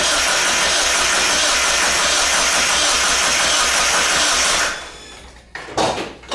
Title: Miata won't start